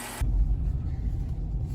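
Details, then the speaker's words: 2007 Chrysler Town & Country V6 after replacing the ignition coil pack for rough idle and low power: steady low idle rumble with no stumble or stutter after a couple miles of driving; runs smoothly now. "as you can see I'm idling right now and it's very smooth it actually runs a lot better than it did before"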